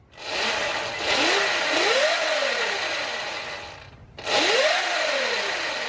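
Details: Sur Ron Light Bee MX electric bike, first power-up after installing the Electro & Company EMXRon controller kit: two throttle blips, motor whine rising and falling smoothly with no grinding or stutter; normal spin-up.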